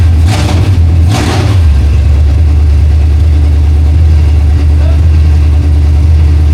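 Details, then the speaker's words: 1968 Mustang V8 on long tube headers, fired with a jumper bypassing a coil power wire fault (power only in crank): two sharp throttle blips, then deep, loud, steady rumble settling evenly, no misfire or knock; healthy, normal running. "we know the motor is healthy. I mean, it was rumbling my I get it. We're on long tube headers, but it was rumbling the building."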